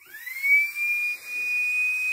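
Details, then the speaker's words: Homemade steam-raising blower fan on a 5.5 V bench supply: a clean whistle climbs as it spins up, then holds; caused by 18 side holes matching the 9 radial fan blades, fixable by closing some holes. "making quite a whistle the whistle is due to the fact that i've got 18 holes in the side here and nine holes radial fan blades"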